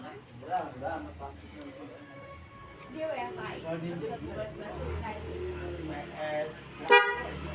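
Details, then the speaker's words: Motorcycle dual-horn setup on one button, switch pushed right: Boss Denso/snail (keong) horn and stereo horns sound together, short bright honks with clear steady pitch over street noise; both horns work normally. "Nah, sudah nyala ya, densonya nyala atau keong nyala, dan stereonya juga ikut nyala ya."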